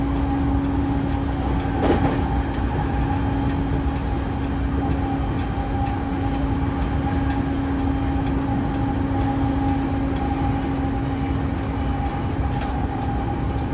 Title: モハE232-3011、車内空調機器故障で異音（2024.7.8.16:52）